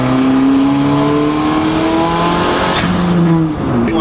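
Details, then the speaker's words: Turbo Honda Civic EG on stock internals after boost cut raised to 22 psi: engine climbs steadily under 20 psi boost with no stutter or cut, pulling the whole way; clean full-boost pull. "20 pounds of boost, and it pulled the whole way. Holy shit, that did that at 20 pounds."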